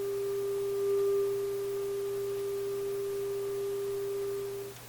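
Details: Westinghouse 622 vacuum tube radio after replacing more capacitors, power-up with the meter settling near 6: a clean, steady mid-pitched tone for about five seconds with no hum, crackle or wavering; audio stage sounds healthy.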